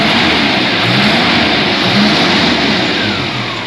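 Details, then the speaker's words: Engine freshly started runs loud and uneven with a ragged, unsteady note. The carburetor was suspected and needs fine tuning, but the fault turned out to be a faulty oil pump. ">> It's going. Yeah. Running. >> We got it eventually. Oh, there's a lot of fine tuning over there. >> Yeah, I think it's carburetor. I'm not sure."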